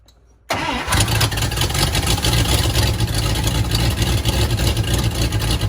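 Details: 1954 Buick Roadmaster with 322 nailhead V8, sitting for years, first start attempt with a leaky carb: engine catches after a silent moment, then runs loud and uneven with an irregular beat, struggling to start and settle; cause unclear.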